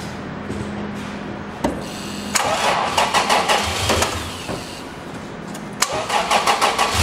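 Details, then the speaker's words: 2008 Toyota FJ Cruiser, 4.0 L V6, automatic, 4x4, about 152,000 miles, front-end damaged: starter catches quickly, settles into a steady idle, then several crisp rev blips rise and fall cleanly; an excellent-running healthy engine. "you as you can hear this is an excellent running 152,000 mile motor"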